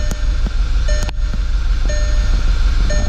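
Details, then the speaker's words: 2011 Volkswagen CC at idle: uneven thumps with a stumble every few beats under a light chime; codes P0300/P0304 random and cylinder 4 misfire, suspected plug or coil, turned out to be a failed coil. "Okay, 300, that's a random misfire. Cylinder 4, that's cylinder 4. So misfire and cylinder 4. That makes sense."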